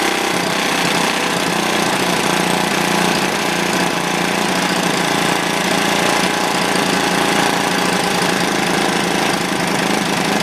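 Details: Old, worn Clinton B700-series single-cylinder engine (model B704, possibly ex-rototiller), choke on, makes a loud, steady putter at constant speed with no misses or surging; runs evenly, a tad smoky.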